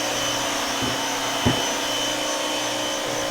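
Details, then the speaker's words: Active 2.0 electric pressure washer with universal (brushed) motor, about two years old, running in a corner: steady loud high-pitched motor whine, no knocks or surging; normal but loud operation. "so as you can see it's pretty loud I have it in the corner so that doesn't help it but this type of sound I can't deal with it anymore"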